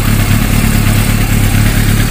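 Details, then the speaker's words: Yamaha YZF600 sport bike misfiring at idle: lumpy, uneven, stumbling beat as one cylinder drops out. The number three exhaust elbow feels cool compared with the others, and the air cleaner is checked next. The finding is a misfire. "ulit mga boss palyado oh hiuin mo yung elbow kung saan yung mainit saan yung malamig"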